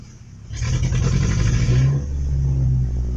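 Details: Truck at a gas station with a brand new fuel filter, dying when put in gear: revs briefly then drops to low, uneven wavering, stumbling idle; owner suspects nearly out of gas, unconfirmed.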